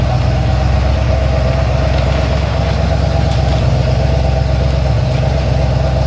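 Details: Ford XC GXL under restoration with a 351 V8, not yet warmed up: a deep, even V8 burble with a steady low rumble and no misses or ticks. A normal, smooth idle.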